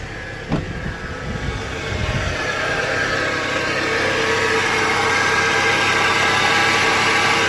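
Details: 2012 Scion xB 2.4L engine running: steady whirring whine over idle when accelerating; alternator recently replaced, tensioner seized; failing belt tensioner pulley, whole assembly replaced.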